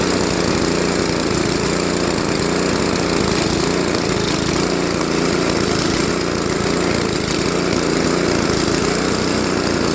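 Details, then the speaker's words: Craftsman Trac-Drive snowblower, Tecumseh Snow King 5.5 hp 195 cc engine, carb cleaned after a year's storage, leaking back gasket: slight rise and fall in idle speed every few seconds; mild hunting surge, later fixed with idle screw adjustment. "so that's pretty good but it's still kind of searching a little at low idle"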